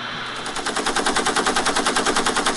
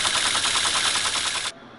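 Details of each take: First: Teletype ASR 33 under restoration, paper tape reader reading a loaded program tape: a rapid, even mechanical clatter at a steady rate with no hesitation or skipping. The reader is stepping and reading smoothly. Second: Teletype ASR 33 paper tape reader after work on a faulty contact: a rapid, even clatter for about a second and a half, then a dead stop. The reader won't latch and the start button must be held throughout.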